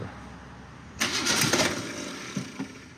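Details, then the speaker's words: Car that sat almost 20 years, no radiator, throttle cracked open slightly: the starter grinds hard, a few cylinders catch in a rough burst with pops, then it dies back. Cranks but won't start, nearly firing; fuel is possibly heard. "Oh, the starter's big mad. Oh, I think I hear some fuel there."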